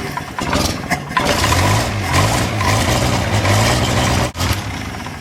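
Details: Wolseley 14/56 14/60 six-cylinder engine on a test stand, after years in storage and an oil change, starts straight up on full choke and settles into a steady, low, slightly lumpy idle without knocks or misses.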